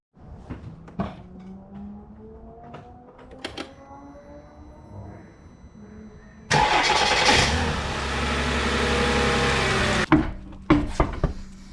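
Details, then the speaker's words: Mercedes ML W163 starter: clicks while cranking, then a harsh grinding for a few seconds as soon as the engine starts. Broken starter teeth were suspected; on removal the starter's bearing was found fairly loose, likely the cause, and the starter was replaced. "every time i crank it it starts fine but after as soon as it starts there's an ugly grinding noise"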